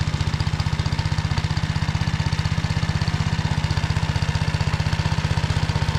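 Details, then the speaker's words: Tractor driving a Motor Sich rotary tiller through the Kamyansky gearbox, rebuilt after breaking with all 3 bearings replaced, under field load in hard ground after barley: steady low throb with even pulses about three per second, no grinding; normal running under load. "Потім розібрав я повністю редуктор, замінив всі 3 підшипники. Ну а зараз тест-драйв, як вона працює."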